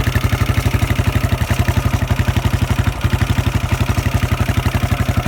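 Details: Husqvarna SM 610 single-cylinder with a Keihin FCR 41 carburettor at idle: a hard, even clatter at about three beats a second over the thump, which the owner finds strange and questions. Unusual engine noise, cause not identified.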